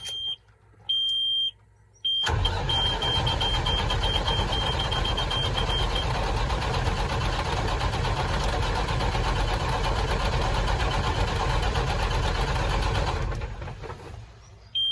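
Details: Cat 3406E diesel cranking with a scope connected for a capture: a few beeps, then steady heavy cranking with slightly uneven pulses; cylinder 2 had already tested not okay, so one cylinder is likely weak.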